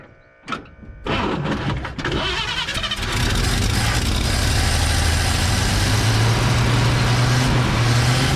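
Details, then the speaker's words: Old Chevy flatbed truck "Fred", after finding a pinhole in the fuel line between tank and fuel pump, ethanol gas: cranks, catches, then settles into a low, slightly uneven, lumpy idle; carburetor not idling well. "yeah that uh carburetor's not quite Island real good"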